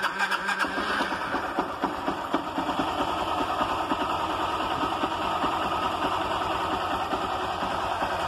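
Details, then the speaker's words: Honda Titan 160 motorcycle after cam chain replacement: engine catches and settles into a steady, even idle with no chain rattle or knocking; the earlier noise was the cam timing chain, no engine rebuild needed. "E aí eu vou ligar para vocês verem que aquela zoada vai sair e não precisa fazer o motor da moto né"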